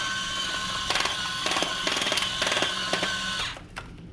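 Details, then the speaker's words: Discovery Mindblown 4-cylinder model engine kit, electric motor driving it: steady high whine broken by rough grinding clatter from slipping, loosely meshed gears; motor adjustment from step 18 fixes it. "hopefully yours doesn't do that grinding sound because i don't love that"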